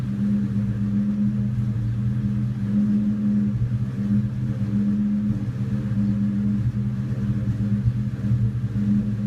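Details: 2002 Mustang GT V8 after new plugs and coils and cleaned throttle body and MAF: deep idle rumble that keeps stumbling unevenly; misfire only at idle, gone while driving, no power loss.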